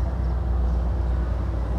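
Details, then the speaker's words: LG WP1460R 14 kg washing machine whose wash side is dead: spin/dryer side tested, steady low motor hum at constant speed, no scraping, knocking or wobble; normal running. "Sementara itu, saya menguji bagian pengering atau putarannya , dan berfungsi normal tanpa masalah. Baiklah, ini dia, putarannya berjalan dengan baik."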